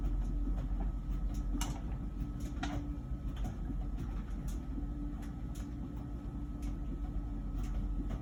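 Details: About one-year-old LG Wash Tower WKHC202HBA heat pump ventless dryer, before the new buzz begins: steady low drum hum with soft irregular thumps of tumbling clothes; running normally.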